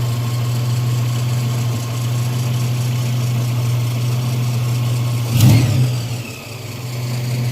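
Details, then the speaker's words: 1995 Nissan Pickup 3.0L, about half a million miles, after PCV valve replacement and idle adjustment, warming up: deep, steady, even idle hum with one brief knock; idle rising on its own; running normally. "yeah sounds good half a million miles guys"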